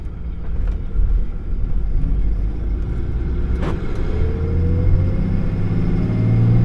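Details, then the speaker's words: Dodge Ram 3500 with rebuilt Mercedes G56 manual transmission and new clutch after mouse damage, first drive through the gears: only road and engine rumble, no whine or growl; longtime gear noise now gone. "things always had a noise in it since it was almost new and I think it's I don't hear it now"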